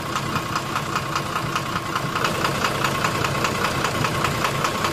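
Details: 12-M FE petrol engine idling with a sharp regular knock about 2.5 times a second, steady throughout, cause not pinned down; engine knocking at idle.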